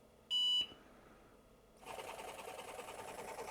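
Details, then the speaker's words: IBM 7496 Executive Workstation, IBM PS/2 720K floppy drive after blowing magic smoke, at power-on: a beep, then a steady buzzing whir as the motor turns but the heads don't return to track zero. The owner suspects a blown component powering the stepper. "Okay, so the motor is definitely working, but it's not moving the heads, huh? Okay, so that's actually bad sign."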